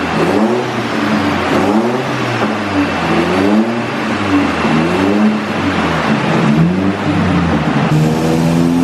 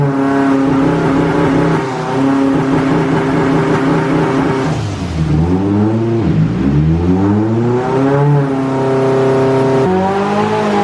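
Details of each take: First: Stroked SR20 (SR22) 180sx, final full-load dyno pulls after fuel system overhaul and tune; strong clean revs climbing smoothly and dropping back, no misfire or stumble. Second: Stroked SR20 (SR22) 180sx turbo on dyno, full-load gear pull after fuel system overhaul: boost spikes over 2 bar as soon as it comes on and the ECU cuts power as a safety, revs sagging and recovering repeatedly.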